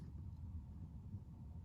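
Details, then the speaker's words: Chinese diesel heater in a camper van after fitting a British-made quiet dosing pump, heater on its lowest setting, pump in a closed cupboard and heard from the bed: only a soft steady rumble. There is no pump ticking. "can you hear the tick tick ticking no so there you go damn thing works fantastic"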